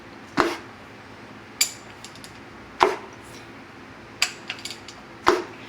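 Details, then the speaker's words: Volvo/Mercruiser 8.1 496 marine engine before rebuild, crank turned slowly by hand: single sharp knocks every couple of seconds; one connecting rod cap was never fully tightened, not a bad bearing. "No, what it is the cap. The cap on this one piston was never tightened up completely."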